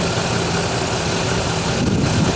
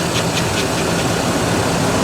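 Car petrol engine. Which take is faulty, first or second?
first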